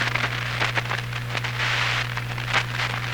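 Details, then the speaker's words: Hammarlund SP-600 receiver (all 65 paper capacitors replaced earlier): steady low hum with scratchy, choppy crackles as the dial is tuned instead of a smooth sound; suspected contact problem in the large four-section tuning capacitor, not confirmed. "you shouldn't have that crunchy choppy sound to it and i think that's the big big tuning capacitor"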